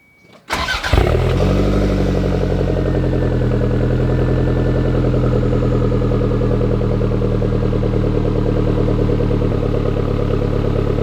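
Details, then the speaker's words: Toyota MR2 after Caldina gen 4 engine swap, cold start: starter catches, engine fires and settles into steady even idle with no knocks or misses; healthy cold start. "you know i said let's hear a cold start and let's hear this thing rev"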